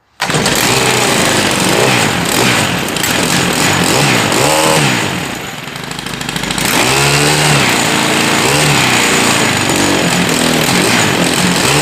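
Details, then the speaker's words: Stihl KM131R Kombi after choke knob replacement, first cold start of the morning on full choke after priming three times: catches and runs ragged, dips, then steadies; the automatic choke releases on throttle; normal cold start. "So, haven't started it at all this morning, so we're going to choke it on full choke and prime it about 3 times and just start it up. So as soon as it starts and kind of runs really rough, we're going to go ahead and release the choke and give it some throttle."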